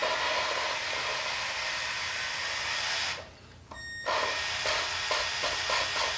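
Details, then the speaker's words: 2.4 L Ecotec cylinder head off engine, valve job after bent valves: steady gritty hiss of lapping compound on the valve seat, brief pause then more grinding; lapping proceeding normally. "I'm just going to insert this on to the valves themselves and I'm just going to give them a life span and you can actually hear the compound grinding against the head and that's basically the sound we want to hear"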